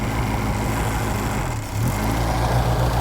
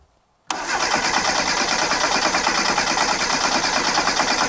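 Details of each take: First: 1998 Reliant Robin Mk2 barn-find petrol engine idling steadily and evenly with a smooth low burble, no misses or knocks, after carburettor rebuild and throttle cable rerouted so throttle fully closes; no coolant in yet. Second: 1998 Reliant Robin Mk2 barn find, carburetor just rebuilt, choke on: starter churns steadily about three beats a second for five seconds and never catches; no start because a spark plug lead was off.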